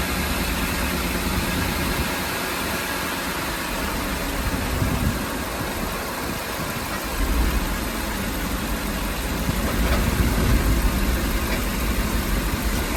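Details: Ford E-350 van engine at idle: an uneven, lumpy beat with shaking and no steady miss. The rough idle sets no misfire code, and the cause is unknown.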